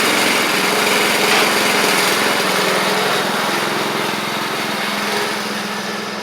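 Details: Troy-Bilt Pony riding mower, first start of the replacement engine on fresh gas after the seized original was swapped out: small single-cylinder buzzes at a steady, even speed, no knocks or misses; runs healthy, though smoky.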